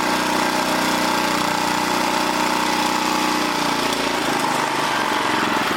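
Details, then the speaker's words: 1980 rototiller's small engine won't hold speed, hum wandering and sagging; cable creeping even after tightening the throttle control, so a new throttle control is needed. "now we got it but this thing is creeping so i need to put a new throttle control on here"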